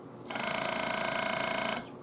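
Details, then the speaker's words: Good spare air suspension compressor from a 2008 Cadillac Escalade, bench-tested off the vehicle on a 12 V 6 A battery charger and bumped briefly: short, even, fast-pulsing buzz at a steady pitch, making pressure; normal operation. "now keep in mind this is a good compressor so what you hear ought to be what your compressor does"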